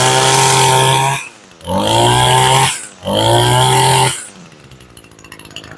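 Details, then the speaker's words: Two-stroke weed eater being started and warmed up before winter storage: a crisp buzz that revs cleanly up and back three times, returning to a steady idle between; a well-tuned trimmer. Normal running. "first thing we're going to do is get her started and we're going to warm it up a little bit. That's a well tuned weed eater."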